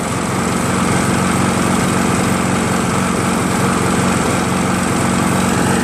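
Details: Craftsman 7HP green self-propelled lawn mower, long hard to start despite lapped valves, checked keyway and carb cleanings; after about an ounce of Seafoam in the fuel, even steady beat at constant speed, no hesitation or surging; runs smoothly.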